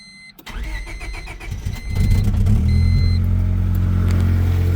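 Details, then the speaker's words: Honda EK with a replacement engine, sat years with very old gas, fuel pressure only about 28 to 38 psi: engine catches then idles with an uneven, stumbling, sputtering beat; stale fuel or fuel pump/filter suspected, not confirmed. "Little sputtery on startup and you can hear it's still sputtering, but go over here to the gauge and we're at about what is that like 38 or 28 to 30ish."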